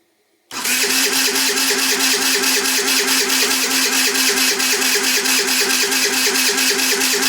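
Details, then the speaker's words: Qlink Axon 50cc scooter: starter spins the engine in a fast, even whir with steady compression pulses but it never catches; cranks without starting, suspected lack of proper spark, possibly the exciter or flywheel, unconfirmed. "sounds like we're not getting the right spark right"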